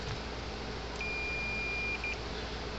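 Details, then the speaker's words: Gallagher M400 electric fencer (110–120 V) with no power light or clicking: meter gives a clean steady continuity beep about a second long, then a short chirp, so the fuse is good; capacitor or board suspected next. "well might just be lucky be a fuse no fuse is good hear the meter beeping"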